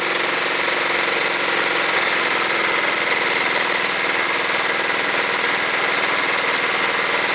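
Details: John Deere STX38 mower with a Kohler Command 13 hp engine and 38-inch deck, first start after sitting and having a mouse nest cleared: steady, even single-cylinder putter at constant speed with no misses or surging; runs fine.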